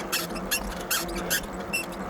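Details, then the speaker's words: Aipas M1 Pro e-bike, about 90 days old, while riding: sharp high squeaks about every 0.4 s with each pedal stroke over rolling noise. Owner suspects the center shock; source unconfirmed. "So, I mean, the noise, the squeaking noise is enough. I mean, that's enough to be frustrated, but it's not enough to keep me from riding."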